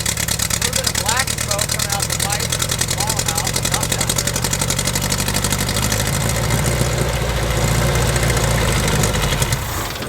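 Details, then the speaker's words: 1969 Lotus Europa S2 barn find, stored 15 years, restarted on starter fluid and a little gas: steady, even, smooth idle with no misses or splutter; earlier water likely just in the header. "pretty nicely she's running pretty good there too I think there was just water in the header that thing sounds good huh"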